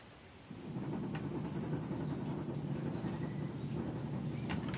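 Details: Air conditioner fan motor: uneven low rumble with a faint hiss over a steady run, a rough, gritty drone; owner suspects worn fan motor bearing, not confirmed.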